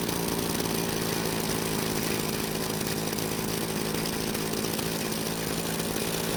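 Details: Green Machine trimmer: fast steady buzz instead of slow idle, trimmer head keeps spinning; idle set too high, confirmed once turned down.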